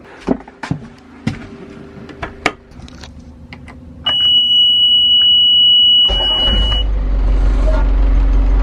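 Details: 1978 sailboat's engine, starter battery dying, after rewiring starter and alternator connections: a few clicks and steady electronic beep, then engine catches cleanly and settles into even low rumble; healthy start.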